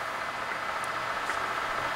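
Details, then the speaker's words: 2007 Kingston HR3000 gap bed engine lathe, 34"/46" x 120", with a 25" four-jaw chuck, shifted into high range at about 70 rpm. An even, steady whirr with a faint constant high tone and no knocks or surges: running smoothly. "now we're in our high-speed like we're at about 70 rpm and"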